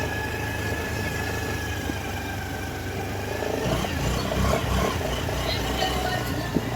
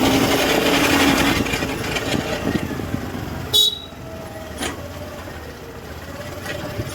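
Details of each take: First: Honda Activa BS6 CNG scooter after repair of a strange gear noise from the rear wheel: engine runs smoothly with an even hum, no grinding or whine from the rear drive. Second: Honda Activa BS6 (CNG) scooter running: rough rumble and faint wavering whine from the rear wheel drive, from worn final-drive gearbox bearings.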